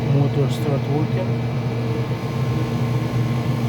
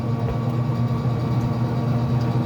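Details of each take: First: Traeger grill after control board replacement, fan spinning up: motor hum with a light, uneven ticking about four times a second; fan blade striking a loose orange wire, fixed by rerouting it. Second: Traeger pellet grill after control board replacement and rewiring; orange wire had been touching the fan, now freed. Steady low hum with fan and auger running smoothly, no knocks or scraping: normal running.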